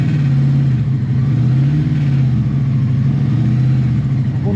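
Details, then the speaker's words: Barn-find 1984 Honda V65 Magna VF1100C, V4, on a test run: unevenly revving, wavering and stumbling note. The owner suspects fuel starvation at the float bowls but is unsure; pickups or CDI may also be at fault. "feels like it's running better when I use off but I did have to increase the uh throttle load to keep it taking over as well no we're not right"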